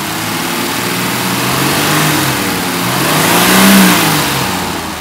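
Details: Mercedes 280 SE six-cylinder petrol engine revving and settling smoothly after one bad spark plug was replaced, fixing a post-winter-storage misfire; even note with no stumble or miss.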